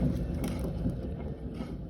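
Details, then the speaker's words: Douglas Dynamics poly hopper spreader (Fisher Polycaster/Western Tornado) electric spinner after sitting all summer: low gritty growl from a rough pillow block bearing, even after greasing; stiff shaft, CP fault code. "but you can hear how growly that bearing is and I think Douglas Dynamics uses single seal bearings it just doesn't hold the grease in well"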